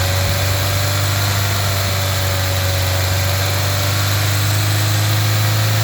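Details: 1.4 TSI CAXA petrol engine idling with light, uneven clicking throughout and rough idle at the end: timing chain rattle from a broken chain guide and skipped teeth; fixed by replacing the whole timing chain set and oil pump.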